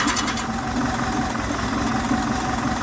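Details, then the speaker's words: Air-cooled Type 4 VW 2056cc flat-four with 96mm big bore cylinders, fresh rebuild, idling: even, steady idle with smooth low beat, no knocks or misses. Runs really smooth. "like, man, this thing's like really, really smooth."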